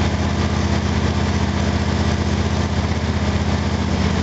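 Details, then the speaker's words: Small engine (FG8) on an exhaust analyzer, before spark plug gap adjustment: uneven stumbling thump about four beats a second, misfiring and cutting out, hesitation causing a spike; owner says it ran smoother after increasing the gap. "you are cutting out before I did the adjustment that don't make a liar out of me was definitely run smoother the hesitation caused a little spike you're going to hear it"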